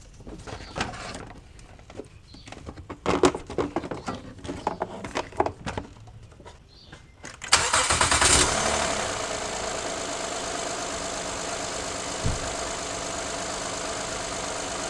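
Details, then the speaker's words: Honda with a rubbing-type noise on cold mornings, tested with the serpentine belt removed: clatter and cranking, then an even idle with no rubbing, so not the timing belt; leaking power steering pump suspected. "Now you can see that without the serpentine belt is stopped."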